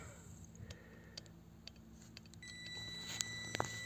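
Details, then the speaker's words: Webasto Thermo Top Z/C-D diesel heater bench-tested on direct power at startup: after glow plug, fan and pump self-check, the fuel dosing pump ticks softly about twice a second under a faint hum with beeps, feeding fuel to the burner normally. "już słychać jak pompa paliwa stuka czyli sprawdziło sobie że wszystko jest w porządku w układzie teraz sobie pyka pompa podaję paliwo na na palnik"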